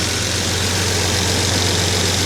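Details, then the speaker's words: Jaguar XJ6 after a head gasket replacement and camshaft retiming, hot after about 15 minutes with the thermostat open and the choke turning off. A low, even idle with no ticking or misfire, slightly higher than usual; owner suspects the cam timing. Finding: normal warm idle. "So, choke is turning off. Idle is a little bit higher than usual. I wonder if that has to do with the cam timing."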